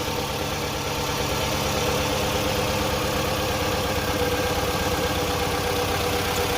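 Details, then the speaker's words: 2008 Toyota RAV4 petrol idling with an uneven, stumbling beat and violent shaking, code P0302 misfire on cylinder 2, car won't accelerate; single-cylinder misfire caused by a failed injector. "the car is shaking very uh violently if you can tell"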